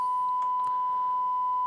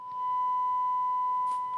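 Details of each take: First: Rotel RA-985BX integrated stereo amplifier: steady mid-pitched test tone clean and unwavering, no crackle, hum or distortion, while checking the tone controls, which work fine. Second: Rotel RA-985BX integrated stereo amplifier on a 1 kHz test tone: tone dips and wobbles briefly as the left channel cuts out, caused by the balance potentiometer; a light tap clears it.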